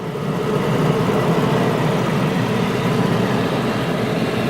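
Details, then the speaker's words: Mercedes with 91,651 miles, original parts: cold start settling into a smooth, even, quiet idle with no knocks, ticks or exhaust puffing; engine real quiet, exhaust quiet, normal idle. "So as you can hear, engine's real quiet, exhaust is quiet, everything works electronically, air conditioned."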